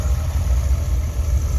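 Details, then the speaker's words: 1975 Ford F-100 carbureted V8 after replacing the worn-out budget carburetor with an Edelbrock to cure a misfire through the rpm range: deep, steady, even idle rumble with no stumbles or skipped beats; runs well. "and I already took it around the block it runs really well"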